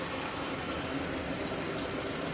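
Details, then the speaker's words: Black & Decker 3.0 portable washer, over 2 years old: after the wash slows and stops, a steady, even rush of incoming water with no hum or knock. It is filling normally for the next stage. "And when you hear that, that means it's getting ready to start something else, and the water will come in."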